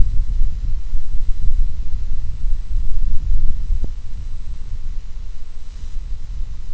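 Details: Focusrite Scarlett 1st Gen mic preamp, which grows noisier after running a while, cause unknown; loud low rumbling hiss with irregular throbbing surges and no signal; excessive preamp noise.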